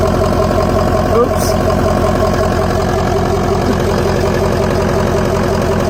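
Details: 2004 Ford F-350 6.0L diesel after Sinister Diesel blue spring fuel filter housing kit install, no fuel leaks: steady, even diesel clatter at idle with no misses, surges or knocks; normal idle.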